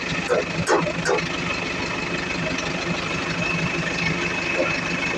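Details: Iveco Eurocargo Tector diesel, which has a defective electro-injector causing rough idle and white smoke: after starting it settles to a fairly steady, even idle with a few early clicks, no obvious misfire.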